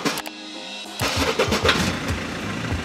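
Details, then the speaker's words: Mercedes Daily diesel van: quick steady cranking continues a long time without firing; needs long cranking to start, even when warm, then runs fine; starter also sounds odd, cause unclear. "dann muss man richtig Orgeln der springt irgendwann an aber nur mit orgelkraft also also du musst richtig lange orgeln"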